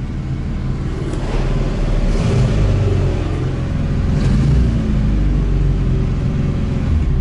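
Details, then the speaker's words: ZAZ 968M started after sitting idle; the lower rubber gasket that stuck to the spring in the heat was reseated. The engine catches and settles into a steady, low, even-firing run with no misses or surging. Normal start and running. "также что ребята все запустилось все нормально теперь можно выезжать"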